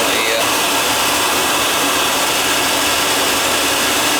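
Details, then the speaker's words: Riello oil burner on a no-heat call, refired after fitting a 0.75 nozzle (spec 0.50–0.95): a steady, even roar with a bright hiss and no pulsing, puffing or rumble, holding a stable flame. "I put a little bigger nozzle in there let's fire it up and see what happens that seems to be running better with that one in there"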